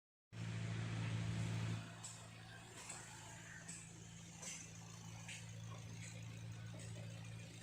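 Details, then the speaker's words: Suzuki Swift Dzire idling with the clutch pedal pressed: a steady low hum with faint regular ticking from a noisy clutch release bearing. "Clutch release bearing noise."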